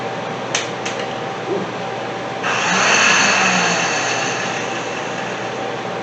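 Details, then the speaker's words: 1983 Datsun 280ZX, a few clicks then a high free whirr with no cranking; starter spins but Bendix drive won't engage, starter suspected bad. "some of these targets are kind of welded so yeah this turner might not be good that vendix does not want to go"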